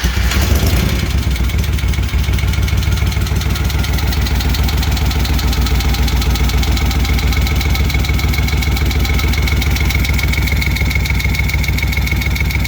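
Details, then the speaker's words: Rebuilt 1971 Moto Guzzi Ambassador 750 V-twin, slightly warm after an oil change, started with enrichers/choke on: catches instantly, then a strong, regular low thump at idle without misses or rattles; normal idle. "It is a little warm. I was running it after the oil change, but it fires right up with the enrichers on, or the choke."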